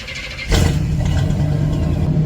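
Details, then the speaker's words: Chevy C10 truck with big block Chevy V8, morning cold start: brief crank, catches at once and settles into a strong, even V8 rumble; clean normal cold start. "Y'all hear that big block? It's alive! It's alive!"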